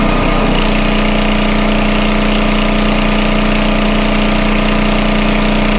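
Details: Homelite 2500 W flathead generator after repair of a stuck valve: steady, even drone at constant pitch with no misses or surging, holding about 60 Hz (59.9). Normal running.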